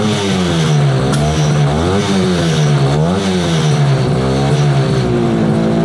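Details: 1968 Yamaha YAS1C 125 two-stroke twin, carbs cleaned, choke off: wavers in pitch and hunts instead of holding steady; right cylinder not firing cleanly, runs better with choke; owner suspects right carburetor pilot jet.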